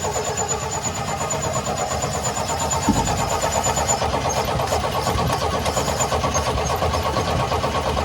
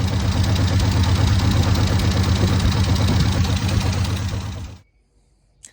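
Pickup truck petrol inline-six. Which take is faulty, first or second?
first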